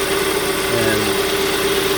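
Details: 2014 Hyundai Sonata 2.4 towed in with flashing MIL, power loss and code P1326 (excessive knock); codes cleared, engine idling: steady, even hum with no ticks or knocks. Normal idle; knock sensor possibly picking up injector EMI, aftermarket oil filter suspected.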